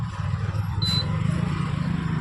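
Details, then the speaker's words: Induction cooktop cooling fan after a fan noise repair, powered through a series supply: smooth low hum with no rattle or scraping, plus a short high beep from the cooktop; fan now runs quietly. "Fan जो हमारा पहले जैसे sound कर रहा था लेकिन अब यहां प हमारा जो सिंपली हमारा फैन चल रहा है इसमें हमारा कोई भी साउंड नहीं आ रहा है"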